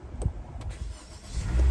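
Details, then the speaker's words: Honda HR-V jump-started with an ACEZUK portable jump starter at 100%: short cranking, then the engine fires into a steady low rumble straight away; normal start. "and Bam there we go it worked it started up check it out"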